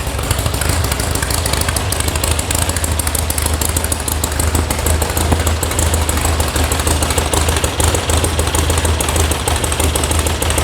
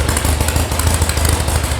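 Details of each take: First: VW air-cooled flat-four sand rail idling warm after electronic ignition install and carb tune, oil pressure 50: steady idle under a fast loose metallic rattle from a loose heat shield. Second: VW sand rail air-cooled flat-four at idle after electronic ignition install and carb tune, warming up, oil pressure 50: steady even low thrum, no misses, runs normally; a missing heat shield rattles.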